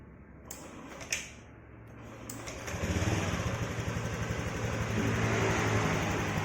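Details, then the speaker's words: Honda Scoopy automatic scooter engine just reassembled and started; after a few clicks it catches and settles into a steady, smooth idle, the earlier rattling noise completely gone, normal idle. "Suara itu langsung menjadi lebih halus. Suara berisik itu sudah hilang sepenuhnya."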